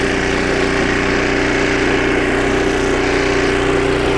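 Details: 25-year-old snowblower after a carburetor rebuild (new needle and seat, carb kit), first-pull test with choke: fast, even small-engine buzz with a steady whine on top, speed holding under load without surging. Normal running under load.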